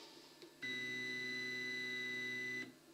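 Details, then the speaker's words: Anet ET4+ 3D printer during bed-levelling manual moves: a loud, steady buzzing whine for about two seconds as the stepper motors move an axis, far louder than in other units, loud enough to resonate through a wall. "that's not one quiet stepper motor i'm not sure if we'll catch on on the video but this will resonate through the wall to the bedroom next to this one so yeah to me that's way too loud"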